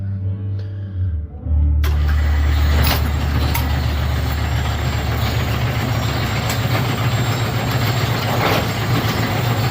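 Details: Bowling pinsetter test run after checking report of number 5 pin falling through the turret center chute; machine kicks on after a couple of seconds with a steady heavy rumble and occasional clanks; normal cycle, interlock probe found bent low.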